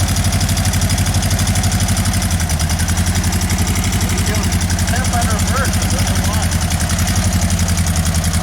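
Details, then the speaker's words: Volkswagen: lumpy, uneven chugging idle with only the two cylinders on one side firing; the car shakes, the dead side is misfiring, and unburnt fuel can be smelled from those cylinders. "You hear the 2 cylinders. Whole car's shaking because both cylinders on one side are running."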